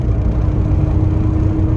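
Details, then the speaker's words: 2005 Toyota Matrix 4WD on studded winter tires, not fully warmed up, moderate throttle: smooth, even engine drone, no knocks or rattles; shifts smoothly, healthy. "so awesome obviously I'll slow down here but uh man such a cool car such a cool car just shifts like a dream no issues there"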